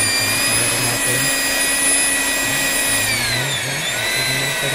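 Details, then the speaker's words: Hilti TE 800 AVR jackhammer that runs but won't drive the bit into concrete: the motor spins to a steady high whine with no impact blows. When opened, the connecting rod that drives the hammer was found crushed. "Kaya pala hindi nag-hammer dahil yung kanyang nadurog na yung kanyang connecting rod."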